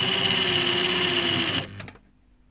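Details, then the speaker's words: EBM-Papst M4Q045-CA01-09 shaded-pole fan motor (230 VAC, 1300 rpm, sleeve bearing) from a Frico heater, after greasing: runs with rough chattering buzz about 1.5 s then winds down and stops; likely worn dry sleeve bearing. "and there we and there it stopped so yeah it's a bearing problem I guess"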